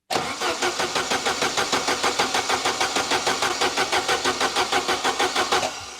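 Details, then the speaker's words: Saab 900 Turbo Commander with Bosch K-Jetronic injection, sat 10+ years under a tarp, fuel relay refitted. Steady cranking about three compression beats a second never catches; an opened injector line gives no fuel, which reaches the filter but not the injectors. "so I have removed one of the pipes so when I crank the engine some fuel should be coming out of that nothing absolutely nothing"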